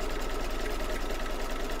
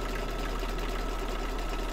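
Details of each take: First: Embroidery machine stitching in an 8x8 hoop with gummy, sticky marks: fast, even stitching clatter with faint short squeaks on top as the hoop catches on residue; expected to work itself out. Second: Embroidery machine after a small adjustment, rethreading and rehooping: quick, fairly even stitching patter about three per second with a soft low thump underneath; now runs much better, owner thought earlier trouble was the machine getting back to normal, possibly a dull needle.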